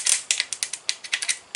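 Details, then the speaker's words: 1979 Ford F150 Custom, 351 Windsor, starter on the ground with connection suspected: dry uneven metallic clicks and rattles, no spin-up; starter binding, attributed to magnets broken inside from hammering, starter needs replacing. "reason they say don't beat on them with a hammer is because it breaks the magnets inside of them once the magnets get broken into pieces it'll bind the starter up"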